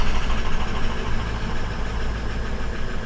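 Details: 2004 Ford F-250 diesel, crank-no-start fixed by installing a BulletProof Diesel FICM power supply (FICM main power about 49 V): just after firing it rumbles with an uneven, lumpy knock at idle, then steadies.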